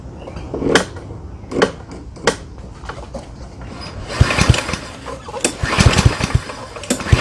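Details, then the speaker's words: Yardworks self-propelled mower, 173cc engine, won't start: several short weak recoil pulls with clattering turnover and no firing; flywheel brake cable binds, brake handle not pulling back far enough, leaving ignition coil grounded. "You'll see this is supposed to pull back quite a ways, but when I pull the handle, you'll see it doesn't come back very far."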